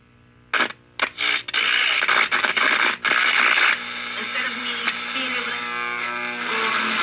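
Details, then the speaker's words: 1952 Hallicrafters 5R500 tube clock radio, tried with different speaker: output cuts in and out in loud crackly bursts, then harsh steady screech; dirty or faulty volume potentiometer suspected. "it's either screeching loud as can be or nothing the last thing i'm going to try i don't think this is the issue i think the volume pot is out of whack"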